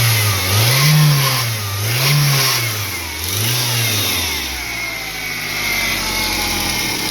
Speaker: you can hear that roar like the vibration almost a buzzing noise you can feel it in the car which is what's crazy